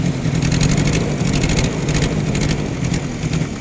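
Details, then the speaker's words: Toyota Tamaraw FX with a 2C diesel engine, brought in for hard starting, low power and misfiring; the RPM won't rise and it dies outright. It clatters loudly and unevenly, the beat stumbling and dipping: a misfiring, rough-running engine. "namamalya po yung engine at hard starting. Yan o, kita nyo, RPM ko, walang RPM"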